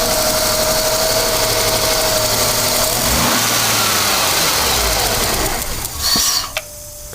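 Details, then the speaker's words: Ford EF Falcon that dies at idle, such as at lights; the owner suspects the fuel filter or throttle position. It runs loud and steady, then as the revs fall back after a rev, the note sags, stumbles and stalls within seconds. "so it's running all right at the moment but as soon as you rev it and let it back to idle it'll do"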